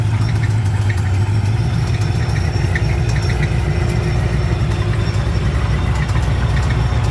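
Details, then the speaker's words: Procharged LS-swapped BMW after a drag launch at Sick Week: rough deep idle with an uneven tinny knock, loudest underneath, possibly wrist pin or internal wear; engine found chewed up. "It almost sounds like wrist pin noise cuz it it does sound higher up, but when you get under the car, it sounds like it's loud underneath. Like you got a little tin man under there."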